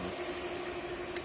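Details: Hayward pool pump after capacitor replacement; before, it only buzzed and would not start: steady, even mid-pitched motor hum with no buzzing or stalling; normal running.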